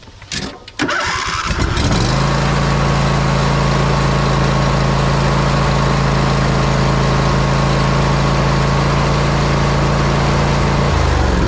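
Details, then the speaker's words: John Deere riding mower with a 26 hp Briggs & Stratton V-twin, during a 50-hour service after an oil change with the fuel line emptied: brief cranking, then it catches within two seconds and settles into a smooth, even idle with a steady low thrum. "it may take a couple seconds for it to start because we got to uh fill the carburetor or the fuel line back up"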